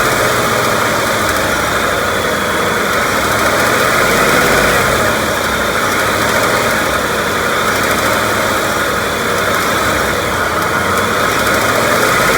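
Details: 2018 Ford F-150 5.0 Coyote Gen3 V8: a light, quick top-end tick of three to four per second occurs only when revving slightly from 1,200 to 2,000 rpm, not at idle. Owner wonders if it is the BBQ tick; the cause is unknown.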